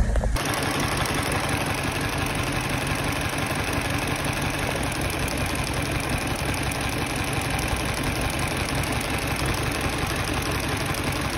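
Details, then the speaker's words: Mini Cooper with Valvetronic running rough on three cylinders from startup despite replaced Valvetronic motor and position, coolant, MAP and cam sensors; lumpy idle misfire, fuel present, traced to one cylinder's intake valve not opening. "so basically he changed all this and I've got to work out why it's running on three so let's check it out shall we really running rough now awful pure"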